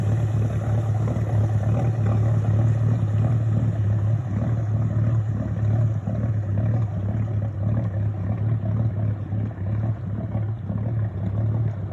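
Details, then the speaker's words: Boat with a KLC engine running: uneven chuffing pulses, about three a second, sound like a misfire, but the engine runs smoothly. The cause is water being blown out of a large low spot in the exhaust pipe. "you know earlier it sounds like a misfires but we figured out there's a low spot there's a huge low spot in the exhaust pipe and the engine has to blow the exhaust water out of that low spot in"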